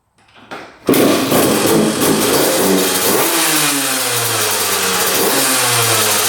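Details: 2001 Honda CR125 two-stroke dirt bike after fix-up (seller said new crank, piston, gasket, seals), kick-started on choke: crisp ring-ding idle and clean even blips; normal two-stroke running.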